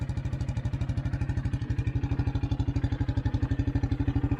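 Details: 1984 Honda Big Red 200 three-wheeler, restored after sitting about 25–30 years, with a new battery, a reworked gas tank and a carburetor. Steady single-cylinder idle at about three beats a second, even and smooth with no clatter; healthy.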